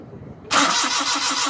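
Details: Suzuki Mehran VX/VXR Euro 2 petrol, no start: starter spins the engine in an even rhythm about six beats a second but it never fires; ignition current checks fine, no fuel delivered from a failed fuel pump.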